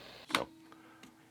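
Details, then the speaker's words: Vintage stereo receiver: a sharp buzzing chatter then a fainter blip, caused by a cell phone too close to the receiver bleeding into it; it goes away once the phone is removed. "that is my phone being too close to the receiver I'm hoping the mic picks that up"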